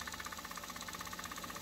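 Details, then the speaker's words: Sony K611S cassette deck after repairing a skewed ribbon-cable connector: quick, even fluttering whir with light ticks about ten a second, no drag or grinding; normal fast forward/rewind. "the transport works as expected levels are good fast forward rewind mechanically seems fine"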